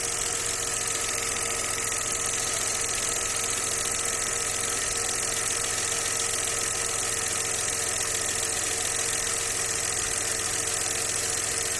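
Even idle carrying a light regular knock, roughly three or four a second over a faint steady whine; source of the knock unknown.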